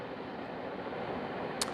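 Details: BaseAire AirWerx 55 dehumidifier running under 5 minutes in a room of about 65°F, already draining moisture. A steady, even whoosh of airflow with no knocks, rattles or surging. The unit is running smoothly and sounds healthy.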